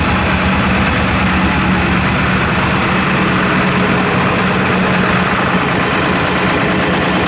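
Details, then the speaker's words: F250 7.3 Powerstroke on first test drive after injector work, air being bled: loud diesel run with a slightly uneven lumpy beat, no boost; one cylinder missing from a miswired injector harness. "so I'm out on my first test-drive of it you get here it kind of has like a little bit so it sounds like one of them is kind of missing"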